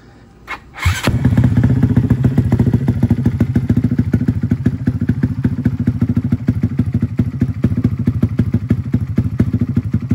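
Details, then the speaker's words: Custom Honda Grom 300cc big-bore stroker engine, started on the bike before tuning and dyno: catches after a thump, fast, slightly uneven, lumpy hunting idle; tune still needs work. "oh we still got to work on the tune a little bit"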